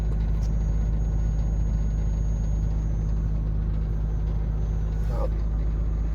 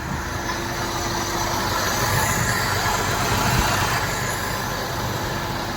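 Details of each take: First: Maruti Suzuki WagonR with AC on, inside cabin: heavy steady low drone and vibration; new radiator fan wired in reverse and spinning backwards; car also sometimes overheats, no noise with AC off. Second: Maruti Suzuki WagonR with AC on, after removing a plastic polythene piece being sucked into the radiator fan: steady, even running hum, fan vibration and noise gone, no rattle or buzzing; normal radiator cooling fan operation.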